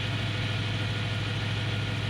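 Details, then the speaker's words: Stock 2008 BMW E92 M3 with S65 V8, idle after the initial rev settles: smooth, steady hum with a light mechanical winding whir and no dryness or ticking; healthy idle. "listen to how healthy this is now you're gonna hear the sort of winding noise my brothers this is what the m3 engine is supposed to sound like"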